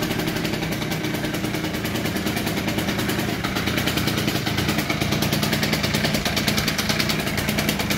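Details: Two-stroke Honda Spree scooter, unstarted for a week or two (said to smoke after sitting): fires and settles into a steady, even crackling idle with no misses or knocks; running healthy.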